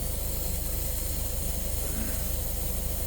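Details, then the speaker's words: Refrigerant leak: steady airy hiss over low fast pulsing from a newly replaced coil in a communicating variable-capacity outdoor AC unit; oil visible, leak coming out the bottom, coil reportedly shipped without nitrogen holding charge. "I wish I had another one of these because this one is leaking yay let me show you you can you can hear it somewhere"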